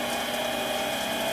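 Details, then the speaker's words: Rebuilt mini lathe with 4-inch three-jaw chuck, jaws run all the way in, water bottle on headstock; steady whir near 700 Hz with faint gear chatter, bottle shaking more than ever before: excessive vibration, cause unknown. "yeah you can see the whole bottle shaking that's worse than it's done before yeah it's shaking a lot for some reason I've never had that that movement before"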